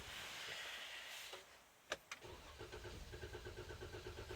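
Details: Jeep that would not start for over 20 minutes: a few clicks, then the starter turns the engine over in an even rhythm, but it never catches; cranks, won't start.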